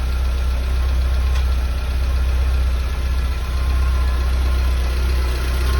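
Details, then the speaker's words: Porsche 924 Safari build, cold start after new coil (about 6 V while cranking), new distributor cap and rotor, all earth points cleaned: runs really nicely, idles very smoothly with the block completely still; low, steady, even cold idle with no knocks, misses or surges. "that it runs really nicely it idles very smoothly the block is completely still which is the way it should be"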